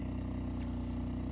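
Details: Peugeot 406 Coupé V6, newly back on the road after passing its MOT, rusty exhaust: smooth, even idle with a steady low exhaust burble and no irregular beats; sounds healthy.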